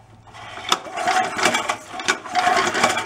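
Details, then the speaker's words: Early-1970s (about 50-year-old) Rupp mini bike, rebuilt from a basket case, kill wire disconnected: two pull-starter pulls give fast ratchety turning with no firing at all; still no spark. "now still no spark let's get that pull start off and take a look at the points"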